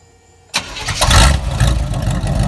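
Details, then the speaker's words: Chevrolet squarebody truck V8 started right after a valve adjustment: catches and settles into a deep, lumpy big-cam idle, no knocking; phone near the exhaust shows no smoke, whereas before the adjustment it smoked terribly. "as you see it ain't no smoke coming out so we fixed that problem"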